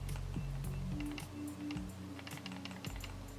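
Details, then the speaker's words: Logitech G303-style sensor rattle test on a Rapoo V300 mouse: light, uneven plastic clicking and rattling when shaken with buttons held, from a loose sensor, under background music. "So that's quite bad, in fact one of the loudest. For all the months that I use this mouse, and even still when I use it, I've never heard that rattle."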